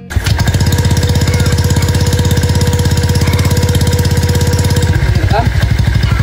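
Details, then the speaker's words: Honda Vario scooter with AHM Malaysia exhaust, previously noisy, after replacing the muffler glasswool packing; deep, round, bassy burble with even pulses about two a second, no rasp, now much calmer and healthy. "Karena cuma modal ucap doang, knalpot gua suaranya sekarang jadi jauh lebih kalem."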